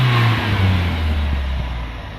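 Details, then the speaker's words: Toyota van, warmed up, after the weak new fuel pump (dribbling, very low pressure) was replaced with a factory pump: revs up cleanly and settles back smoothly with no misfire, flat spot or hesitation; runs healthy. "Sounds fucking alright for a van."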